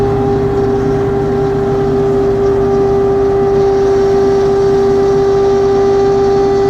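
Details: LS XR3135C tractor running with a steady high hydraulic whine that persists after two dealer visits; cause unknown.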